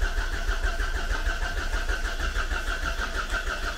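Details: Volvo V40 abandoned for years, fuel line found dry, refueled: even starter churning about two beats a second with faint uneven puffs trying to fire; cranks but won't catch, cause suspected, not confirmed.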